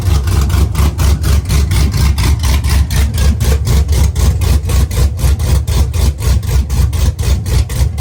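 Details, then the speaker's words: Truck V8 with mechanical DOD delete, DOD now removed from the tune (previously running on 4 cylinders), exhaust not yet fitted: deep loping idle pulsing about four times a second, firm and even, mild cam "baby chop chop"; healthy. "It has a baby chop chop."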